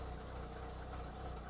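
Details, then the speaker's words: Renault Clio Baccara after fitting a correctly sized starter battery, fuel low: low even idle with steady throb, no misses, knocks or ticks; engine settled and running healthy. "okay success we have success we don't have a lot of fuel but we have success"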